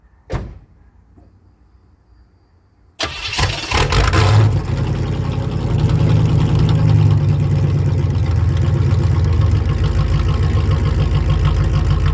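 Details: 1988 Firebird Formula with swapped 1992 Z28 5.7 TPI 350 V8, just fitted with a new AC Delco fuel pump after a burst fuel-pressure hose: click, pause, short crank, catches into a steady low V8 idle that holds after a brief flare; normal start.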